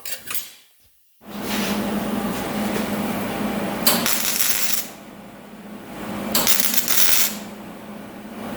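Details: Flux-core wire welding thin sheet metal: harsh sizzling arc bursts that come and go unevenly, with a hesitation between striking the arc and getting penetration, adding heat; cause of the sputter not confirmed.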